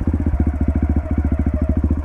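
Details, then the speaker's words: Dirt bike in first gear, mic in the rider's helmet, clutch being let out from idle. Even single-cylinder thumping about twelve beats a second, the note sagging slightly as the clutch bites and the bike wants to roll; normal clutch engagement. "hear that the bike's kind of light almost pairing a little bit different than what just idling like right now and it starts to want to roll forward"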